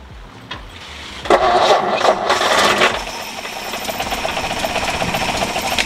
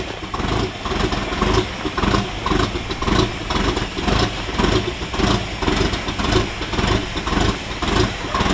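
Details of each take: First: 1952 Ford F1 pickup, old fuel looked bad, mechanical fuel pump suspected worn, fuel poured in by bottle: starter spins the engine steadily with an uneven rhythm but it never fires. Cranks without starting, cause suspected. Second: 1952 Ford F1 truck on its first start after fuel problems and the bad fuel was dealt with: it settles into a steady, slightly lumpy idle with even firing pulses and no knocks. It runs fine.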